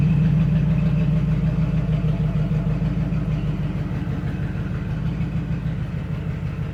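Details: 1961 Cadillac Coupe DeVille V8 at steady idle after a summer cold start following about four months sitting: a deep, loud burble with a raw, open bark. One brand-new muffler is blown, straight-piping one side; the engine itself runs fine.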